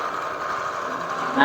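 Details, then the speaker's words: Honda New CB150R kicked over because the electric start is weak, after a welded balancer: loud tiger-like droning growl with scraping rub at idle, swelling on blips; the flywheel magnet isn't centred, rotor rubbing the stator, possibly from a bent crankshaft. "ya ini teman-teman ya suaranya seperti ada yang apa ya sebutannya seperti ada yang menggesek suaranya"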